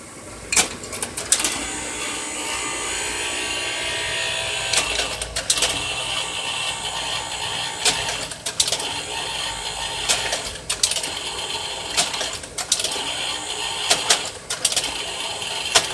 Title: Kodak 4600 Carousel Slide Projector ~Working but Buzzing Sound